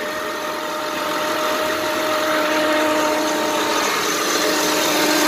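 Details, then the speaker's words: 2007 Honda Pilot 4x4 with the alternator not charging and the battery at 12.66 V: steady high whine, constant over a quiet idle, pointing to worn alternator bearings; alternator whine. "Yep, I can hear the bearings or whatever."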